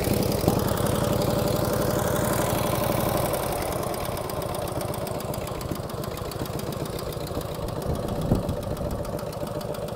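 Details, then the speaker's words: 1949 Harley-Davidson Hydra Glide Panhead cold start: loose, lumpy big-twin idle with light quick valve train tapping from the rear cylinder; owner suspects solid lifters, plans pushrod adjustment. "but again that was a cold start a little bit of tapping noise out of the rear cylinder"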